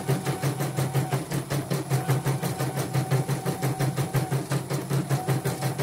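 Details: Portable embroidery machine shipped from Sekayu, South Sumatra with complaints of no embroidering, blank screen, hoop not positioning and dead touchscreen; test stitch after mainboard, LCD and touchscreen work: steady even clatter about three stitches a second, no knocks or grinding; normal stitching.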